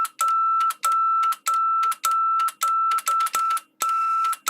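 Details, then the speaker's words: Vintage amplifier playing a test tone with speakers connected: the sound keeps cutting out and returning with crackly bursts as the speaker relay engages. The relay contacts are bad, a known fault at this age; the amplifier itself is fine. "it's causing there to be crackling and cutting out um so yeah this is a known problem on amplifiers of this age the actual amplifier itself is is perfectly fine"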